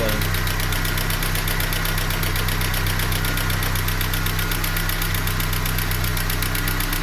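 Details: Ford Scorpio DOHC at idle: a regular light knock, roughly two to three per second, over the engine hum. Engine knock, source not pinned down.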